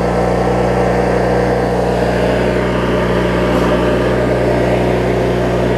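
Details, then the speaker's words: Craftsman riding mower, 19.5hp Briggs opposed twin, after governor, idle speed and carb cleaning (water, corrosion), hood on: steady, even low idle with smooth hum, no misses, knocks or surging; normal idle. "step right up model I'll show you just some just not these opposed swings just runs so smooth even at low rpm"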